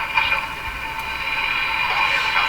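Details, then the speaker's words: 1940s RCA Victor A23 AM/shortwave tube radio at first power-up on reduced 92 V supply: station comes through clear with no low drone or buzz; receiving fairly well without hum. "what we've discovered is a lot of things first of all there's no hum and this Ray don't hear any hum it's receiving it's receiving what seems to be seem fairly well actually"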